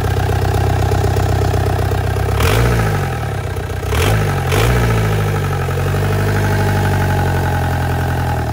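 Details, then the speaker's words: 1.9 ALH TDI swapped into Audi A4 (replacing 2.0 TFSI), just started after idle screw adjustment with throttle wedged: slightly uneven low beat with three throttle blips; lumpy idle, owner suspects idle screw position, to readjust. "okay so yeah it definitely does not like uh the idle position"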